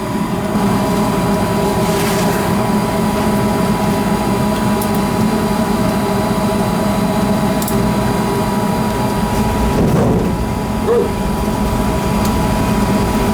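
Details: Gas furnace after no-heat troubleshooting, new filter fitted, door off: steady blower roar with constant mid-pitched hum, no rattles or squeals; furnace running normally.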